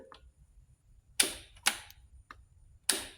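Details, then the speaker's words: 2022 Royal Enfield Himalayan with intermittent no-start after warming up: at key-on only a few dry thumps and no pump buzz, so the fuel pump isn't priming and is likely failing. Tapping the pump once revived it; swapping the relay didn't help. "Kind of like do a thump, but nothing actually happens."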